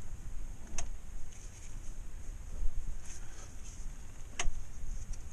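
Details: Chrysler/Dodge front end: sharp irregular clunks a few seconds apart as the front is worked; stabilizer bar bushings recently replaced at another shop were fitted incorrectly and are knocking.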